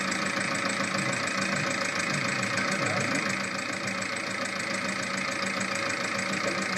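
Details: VAG 1.9 TDI 105 hp diesel at idle: fast, regular light ticking about three a second over the diesel clatter, from a defective hydraulic lifter.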